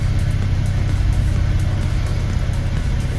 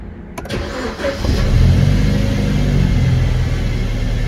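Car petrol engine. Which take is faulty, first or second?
first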